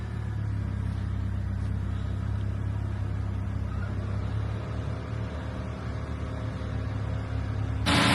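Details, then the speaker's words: Vauxhall Astra just after water pump replacement and coolant refill, air in system: engine idling with a steady whooshing fan running from start-up; owner thinks a wire causes the fan to run, heater on full to bleed. "the fan is on, which I think is because of this wire, but let's put the heating on, full blast."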